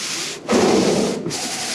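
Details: Vintage Ford Courier pickup's windscreen wipers sweeping the glass at slow speed during a will-it-run check: a steady, even rubbing swish with no chatter or motor strain. The wipers work normally.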